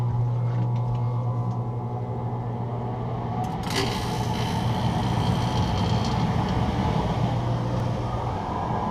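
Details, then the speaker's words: Heater on a custom 435 catamaran after its Webasto reverse-cycle system failed at 29°F, switched on low for its first firing (debris expected): steady low hum and even airy rush, no rattles; blower runs normally. "I'm going to turn on the heater. I'll turn it on low. It should kick on here in a second."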